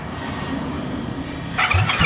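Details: SYM Maxsym 400i scooter with spark and injector working but no start: starter churns in uneven bursts, no firing, no rise to idle; cranks but will not start, cause suspected, not confirmed.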